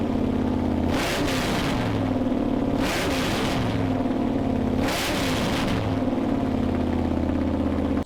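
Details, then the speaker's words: Freshly built Mopar 360 V8 from a 1974 Plymouth Duster during flat-tappet cam break-in: steady, even fast idle with a clean firing beat and a few brief swells, no ticking or knocking; no cam failure, no metal found in the drained oil. "and thankfully it sounded great we had no issues throughout any of the runs"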